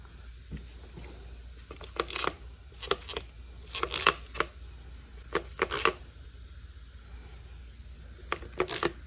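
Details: Ryobi CS30 trimmer that runs lean, under a pressure test with soapy water: irregular fizzing, crackling bursts of bubbles as air leaks past the carburetor intake gasket and spacer.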